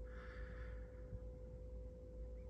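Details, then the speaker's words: Dacia/Renault Sandero or Logan during fuel filter change, key on and engine off: faint steady electric hum at one even pitch; fuel pump priming normally. "not sure if you can hear that properly but that's the pump going on doing this job there"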